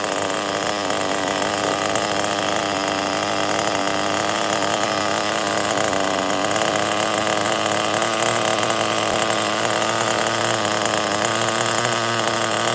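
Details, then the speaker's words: Megatech Razor M16 nitro RC engine rebuilt with new piston and sleeve, compression backed off slightly, near room temperature: high-pitched steady buzzing run, even note, no misfires or stumbles; runs normally, idle to be raised. "I think this piston sleeve is perfect. Now is a good start."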